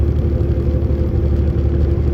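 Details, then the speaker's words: Semi truck (automatic) locked in 11th gear under load: steady deep diesel drone, even low rumble, no buzzing; normal pull. Truck speed-limited, 2.6 axle ratio; in too high a gear it lugs and buzzes. "Now I'm in the 11th. It's not buzzing no more."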